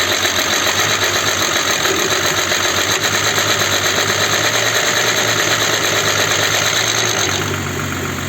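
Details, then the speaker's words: Audi Q7 3.6 FSI VR6, first start after replacing timing chain kit and oil pump and flushing and emptying the hydraulic lifters, battery slightly low: quick steady tapping at idle that eases as oil pumps through; empty lifters ticking. "меняли весь комплект грем цепь ГРМ масляный насос гидрокомпенсаторы мы их промыли опустошили и сейчас первый Старт они должны Зашумели должны"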